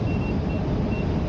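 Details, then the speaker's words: Sherman S electric unicycle on original firmware, riding just past the first speed alert: short high beeps about three in 1.5 seconds over road noise; rider feels the pedals going soft. "uh pushed it a little past first helmet beeps and uh feeling the petals um going a little soft on me"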